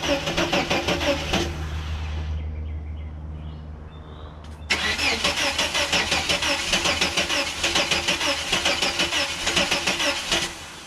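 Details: 1989 Chevrolet S10 Blazer that won't start after everything was reconnected: starter whirs the engine over in steady rapid pulses, pauses, cranks again, never catches; cause unknown, owner wonders about cables or electrical.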